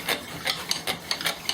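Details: Cord-and-flywheel fire drill with a new bamboo spindle, worked at speed with heavy pressure: dry rasping rubs, four or five a second, with no squeal. Earlier squeaking meant a glaze, now broken through, so the drill has good friction.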